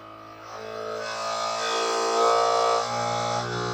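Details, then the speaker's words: New Bambu Lab P1S 3D printer continuing its self-test after it reported a failure, possibly from moved foam: a buzzing motor tone swells over a couple of seconds, then eases off as the motors run calibration normally. "That sounds really intense. I don't know if you guys can hear that. Sounds like a motor starting up."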